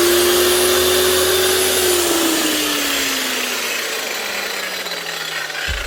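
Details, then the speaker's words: Hikoki G23SC4 wall chaser with some blade play, suspected worn top bearing in the head (worse after hours of use when hot), before repair: even high motor whine winding down smoothly, no grinding or rattle; motor and gears fine, normal running. "Sounds good enough. There's nothing wrong motor-wise or mechanically."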